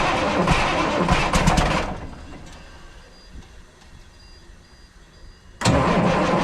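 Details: 1994 International 9600 cabover, N14 Cummins diesel, 561,000 miles, fresh batteries after sitting non-running: catches, runs rough two seconds, dies, cranks and refires; oil and water light blinking.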